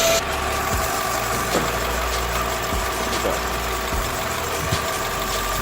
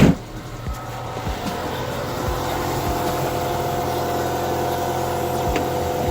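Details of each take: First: Nissan Altima engine idling at about minus 23 degrees, power steering now quiet with no whine, just smooth low hum and faint thumps, after topping leaking, foaming power steering fluid with Marvel Mystery Oil. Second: Nissan Altima at cold idle, about minus 23, after a small power steering leak in winter: a steady high whine from the fluid-starved pump, getting noisy before a top-off with Marvel Mystery Oil quieted it.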